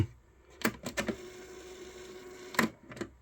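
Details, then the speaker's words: Old cassette tape deck being rebuilt after storage: crisp clicks as the transport engages, a soft steady hum, then a quick clunk at stop. The capstan is always spinning to keep tape speed even, so play starts almost instantly. Mechanism healthy. "You hear that noise there? That is because the capstan is always active. It's always active and it's spinning to maintain even tape speed."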